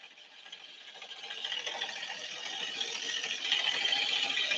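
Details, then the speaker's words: Scooter CVT at idle with cover open, after a roadside CVT change: dense metallic chatter like an ice crusher, growing louder; owner suspects the outer drive face loosened, or the clutch, unconfirmed. "Sounds like an ice crusher. I can't tell if it's the clutch or what. Something ain't happening."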